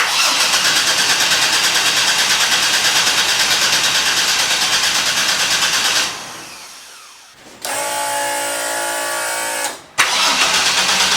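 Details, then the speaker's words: 1983 Ford Fairmont Futura with turbo Vortec 4200 DOHC VVT inline-6, start attempt: starter cranks evenly, about three beats a second, but never fires. ECU loses rpm signal and cuts fuel pump; excessive voltage drop at ECU suspected. "so it's like the ecu's not working because i i don't get any rpm here it's like the ecu stops working turns the fuel pump off"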